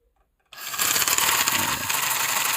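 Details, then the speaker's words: Hart pump motor starting with a loud, harsh, rattly high-pitched whir; runs much smoother held flat, so a loose, failing bearing is suspected, possibly letting the fan chew into the wires. "We hold it flat, and it's a lot smoother. Way better. So yeah, it's something to do with this bearing going bad here."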